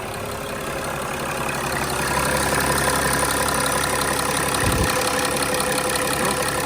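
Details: 2006 Mercedes E320 CDI, OM648 diesel, idling after the glow plug control module and fuel rail pressure sensor were replaced, during a leak check: even, soft clatter with no misses or odd knocks; healthy idle.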